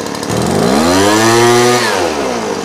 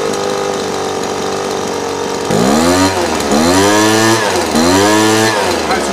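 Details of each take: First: Small two-stroke engine carburetor tuning, low/idle mixture screw reset to 1 1/4 turns then richened: idle climbs, then sags soft and uneven with a burble, the sign of a rich mixture; screw turned back in until idle peaks. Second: Small two-stroke holds a steady idle after low-jet carburetor tuning, set at 1 1/4 turns, then picks up cleanly on three quick throttle blips without bogging.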